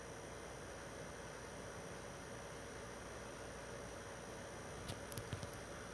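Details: PS4 Pro 3rd gen 7215B, only dusted, no new pads or paste, during taxing game opening cutscene: soft steady airy hiss, no rattle, grinding or rising whine, quiet; normal fan noise under load.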